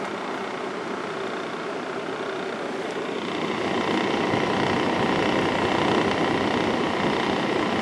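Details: 1995 Kenmore 5,450 BTU window air conditioner, GE PSC fan motor running on low speed with the Sanyo compressor off. An even, steady airy rush with no rattle, tick or scrape; the fan motor turns smoothly and healthy.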